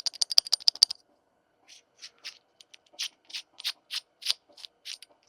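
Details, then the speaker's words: 2002–2006 R52/R53 Mini Cooper S during a timing set job, belt and timing cover bolts removed, pulley turned by hand: dry, gritty clicks and rattles about three per second; the worn pulley bearing needs replacing. "All of the bolts in the timing cover are off, so is the pulley, which we're gonna have to replace because if you can hear that."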